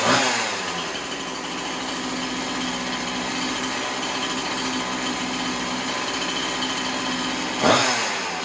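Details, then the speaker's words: Chainsaw after cleaning the scored cylinder and fitting a new piston and ring, idle raised slightly: crisp steady high-pitched buzz at even idle without surging or dying; sounds pretty healthy. "there we go sounds pretty healthy"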